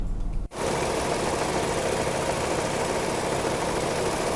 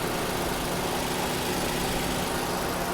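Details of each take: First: Nissan March/Almera/Note, engine running with AC on, heard at the front radiator cooling fan: loud, steady rough whirring from a worn fan motor bearing; fan motor replaced. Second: Nissan March whose noisy radiator fan motor, with failing bearings, was just replaced with a new motor: small petrol engine idles smoothly under a steady rush of air from the cooling fan, normal running.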